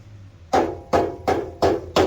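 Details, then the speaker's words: Subaru exhaust heat shield after fixing with a band clamp: five solid knocks, each dying out at once with no tinny rattle; shield now secure. "there's no rattle. Sweet, all safe."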